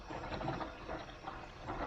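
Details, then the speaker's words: Air source heat pump pipework after filter cleaning, circulation pump turned up to about 50–60, on a cold day of about six degrees: faint irregular gurgling and bubbling as trapped air is pushed through the line; air lock in pipework. "you can hear the air coming through yeah can you hear it i do turn the pump off by the air source heat pump oh there you go lovely little air coming through and that goes quiet"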